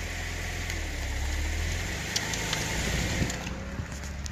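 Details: 2012 Audi B8 S4 with DSG gearbox at low idle: a few sharp, isolated clunks as drive takes up in reverse, from excessive driveline backlash.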